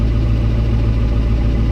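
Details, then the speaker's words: Ford 7.3 diesel just after cam position sensor (CPS) replacement; previously cranked without firing, now started with service engine soon light still on; steady, even low clatter idle about 800 rpm, no misses, healthy. "she sounds a lot better all right so I'm going to let it idle for a minute"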